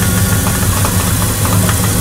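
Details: 2000 Dodge Dakota at idle, suddenly sounding bad: loud idle with a fast, even ticking knock, about eight beats a second, in the engine bay; water pump recently replaced, but owner suspects the water pump; source unconfirmed.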